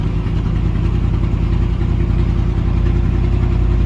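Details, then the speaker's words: 305 H.O. small-block Chevy, cold first start at 61°F, choke open: deep even V8 rumble at about 1200 rpm fast idle, kept running only by holding the gas pedal down; dies otherwise. "About 1200 RPMs right there. We're gonna let it go real quick. Dying. So I'm gonna leave it started this time, holding the gas down."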